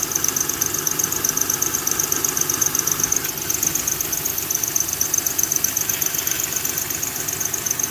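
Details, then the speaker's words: 2000 Honda Accord 3.0 V6 running: sharp, high chirping squeal pulsing about four times a second, occurring each time the tensioner jumps; the worn belt tensioner lets the belt slip and needs replacing. "so if you get a a little squeaking noise right here this right here is the tensionometer and uh tensioner whatever you call it but if your noise it sounds similar to this and you can see as every time they jump that's when it spills so you know to replace this"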